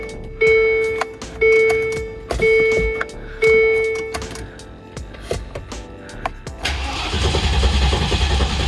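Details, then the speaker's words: 1999 Land Rover Discovery that sat for years, after a new crank sensor: four chimes, then the starter spins the engine evenly without firing; it cranks but won't start. "And no, it doesn't. Okay, it was not starting anymore, so I put the other spare ECU that I had back on."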